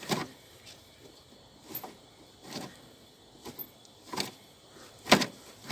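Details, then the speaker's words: VAZ 2114, engine knock being traced: with the belt off, the alternator pulley is turned by hand in short whirring bursts with a faint squeak only when turned backwards; no play, the bearing is healthy and not the knock. "но только когда в обратную сторону вот сюда вперед и назад но все равно это такая ерунда он не свистит не гудит не шумит"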